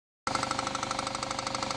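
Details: Engine at idle with fast, even, deep metallic knocking from the bottom of the engine tracking engine speed, misdiagnosed elsewhere as rod knock needing engine replacement; root cause was a failed harmonic balancer.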